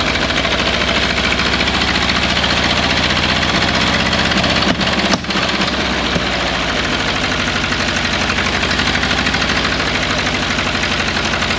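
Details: 1929 Ford Model A Doodlebug revived after years sitting: chugging about four beats a second, a bit uneven, stumbling midway; running but rough, owner says carburetor adjustments and timing still needed.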